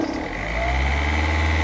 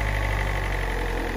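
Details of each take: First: Peugeot 206 SW 1.4 HDi diesel, parked for months, warm after about two minutes running: steady idle with an even, soft clatter, no misses or knocks; purring smoothly once warm. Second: Peugeot 206 SW 1.4 HDi diesel, parked for months, warm after about two minutes of running: steady diesel idle with a faint, fast metallic rattle over the low chug. Quick look shows nothing obvious, so the rattle's source is unconfirmed.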